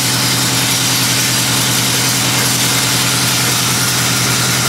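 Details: LeeBoy 635B motor grader: steady engine drone under loud metallic clatter and rattle from the driveline; broken drive chain and bearings in the chain case.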